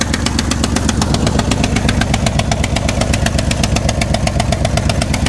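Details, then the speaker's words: Square-body Chevy C-10 salvage-yard V8 truck, just started and idling: sharp, even ticking about four times a second over a lumpy idle from a massive exhaust manifold gasket leak, exact side not found. "While she's running, um, major exhaust air gasket leak. I don't know which one it's coming from, but it is it is massive."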